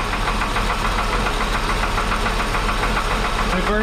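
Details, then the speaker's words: 1961 Ford Falcon Delivery cold start with old, long-sitting oil later found thin; fast light ticking about three to four a second over idle; owner suspects a lifter, not confirmed. "coil's hot i need my key as it's cold i definitely hear something"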